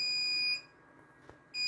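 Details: RAID controller alarm: a steady high-pitched tone cutting out about a second then resuming, with two virtual drives and one degraded.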